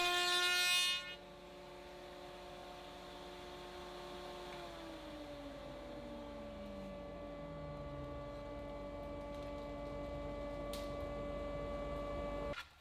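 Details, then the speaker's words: AEG MF 1400 KE router (same as Ridgid R2930), bought 2017, after replacing both bearings (main bearing was worn): heavy single-pass cut in spruce with a raised panel bit; clean high whine sags under load, then holds steady, no grinding. "quite a heavy cut and spruce using a raised panel bit"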